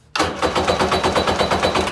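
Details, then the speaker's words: Kawasaki 750SS small-pin motor swapped into an SC jet ski, cranked on a temporary jury-rigged start/stop switch to verify it turns over: starter chugs sluggishly, fading toward the end; battery sounds a little dead. "works battery sounds a little dead but that'll do"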